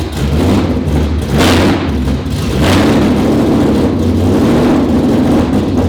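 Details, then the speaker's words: 2019 Roush Stage 3 Mustang V8, first start after engine rebuild: surges and sags, kept alive only by throttle blips with a choppy, uneven beat, won't idle on its own; camshaft position sensor codes, owner believes an electrical short. "all right guys so obviously it's not staying running on its own but we're making progress"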